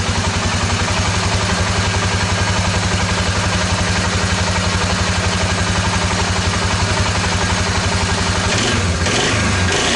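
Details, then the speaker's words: 2002 Suzuki Vinson 500 ATV after fix, new fuel shutoff valve replacing bad diaphragm and cleaned plugged carburetor idle circuit: even, regular thump about four beats a second, steady without hunting or stumbling; clean settled idle. "that runs much better now that's uh how the problem was bad diaphragm and the fuel shut off valve and the carburetor did have the idle circuit plugged up"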